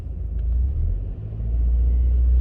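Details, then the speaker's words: 2007 Honda Accord 2.4 four-cylinder with a cylinder 2 misfire code, after new iridium plugs and a coil swap from 2 to 3: steady, even idle rumble with no skips, smoother than the day before, no audible misfire. "It feels smoother today than it did yesterday. A miss in a 4-cylinder is pretty apparent. Yeah, I know. A miss in a V8 or a V6 is a little bit harder. This right now, it's not missing."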